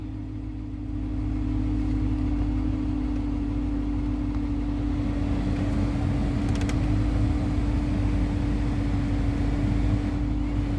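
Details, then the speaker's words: 2013 Dodge Charger R/T after replacing the blower motor and resistor, which had only worked on high: a smooth, steady low hum on speed one with even airflow and no rattles. The blower now works properly across the speeds. "As you can see, it's on one and the heater is blowing. I'm just going to let you hear it."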